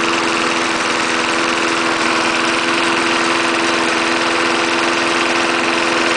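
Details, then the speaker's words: 1974 Snapper lawnmower, 3.5 hp Briggs single-cylinder, fresh gas, restarted after cold start: even steady hum, no misfires or stumbling; running healthily. "try starting it again 3.5 horsepower Briggs still runs good"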